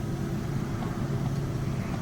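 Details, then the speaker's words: 2003 Dodge Dakota 3.9 V6 with previous misfire, bucking and idle vibration, after fuel pump, wires, plugs and intake electrical parts replaced: low even idle rumble with no stumble or shake; smooth healthy idle. "It's got a nice smooth idle now. Thank you, Lord. Seems to be running really smooth."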